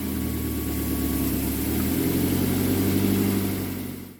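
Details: 2006 Mazda 3 2.0 L road test after replacing the main engine mount and lower transmission mount: smooth, steady engine and road drone rising gently then fading, no rattles, pops or knocks; earlier rattling and popping are gone.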